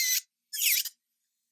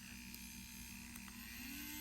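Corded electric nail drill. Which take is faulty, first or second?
first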